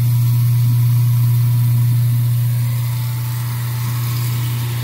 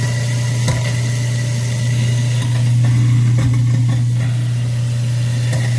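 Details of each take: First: Garbage disposal that had been backing up, with lemon peels found inside, after running hot water through it: a steady, even low hum with no grinding or labouring; it spins freely and runs normally. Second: Garbage disposal that was backing up, first checked with the Allen key and reset button. A steady low motor hum with clicks and rattles comes from debris, lemon peels, in the chamber. Running it with hot water cleared the backup.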